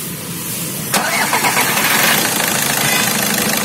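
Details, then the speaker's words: Volkswagen Vento 1.6 TDI, knocking and pickup issue, no warning light: engine starts smooth, then begins missing with an uneven, stumbling beat and shakes, nearly stalling; suspected loose fault in the engine wiring loom. "देखो missing होना start है, देखो बंद पड़ेगा। सो मतलब problem यही है, इसका जो वायरिंग है, वायरिंग किधर से तो लूज कर।"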